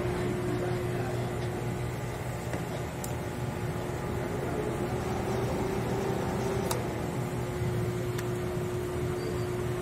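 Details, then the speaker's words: Commercial three-door refrigerator after replacing the slow, worn fan micromotor and compressor electrical parts: even low hum with steady tone, no knocks or surges; compressor and fan running normally. "hay que tocar la zona del condensador a los tubos de alta presión si se empiezan a poner caliente es quiere decir que no hay fuga y el sistema de refrigeración y el compresor están trabajando"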